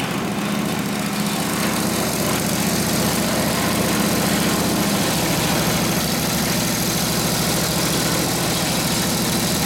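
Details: Rebuilt Harley 45ci WL flathead V-twin bobber with ignition points just set idles during warm-up through a muffler; a steady twin-cylinder lope fires evenly with no knocks or rattles, idling normally.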